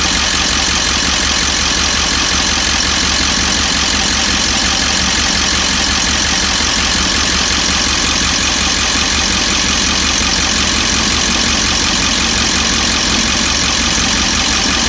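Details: 1998.5 Ford E350 7.3 diesel V8 at warm idle: sharp rattly knock steadily over a bright clattery running note, appearing after warm-up; owner wonders injector, cackle or worse; fuel tank recently dropped for low fuel pressure and delamination.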